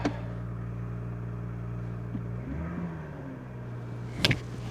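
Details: Chevy Trailblazer with an intermittent no-start and gauges that stop working, where a weak main body ground was found and 12.3 V reads at the OBD2 connector: a quick crank catches into a steady idle with one brief dip; normal start.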